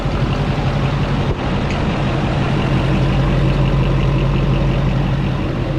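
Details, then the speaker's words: LBZ Duramax-swapped 2004 GMC Yukon idling on an open downpipe, thermostats not yet open: a faint, quick random clicking, seemingly from a pulley, rides on the steady diesel idle. The owner suspects the alternator; this is not confirmed. "it seems like it's running this thing's clicking a little more i think it is the alternator i might get a new one"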